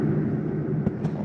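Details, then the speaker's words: 2024 Jayco Melbourne Prestige 24LP motorhome rooftop air conditioner set to high cool at low temperature from the control panel; steady low hum with one brief thump as the compressor kicks in, normal start. "Let's go ahead and crank the AC up on high. Did you hear that? Temperature low. And I should crank that AC up."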